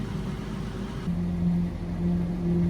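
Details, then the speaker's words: 2007 Saturn Vue 3.5 V6 AWD (Honda engine), ~359,000 miles, after exhaust system replacement fixing a rusted pipe-joint leak and a drilled-and-tapped broken manifold stud: low steady idle rumble, no puffing, ticking or leak hiss; sealed, healthy exhaust. "well that sounds much better than it used to great success"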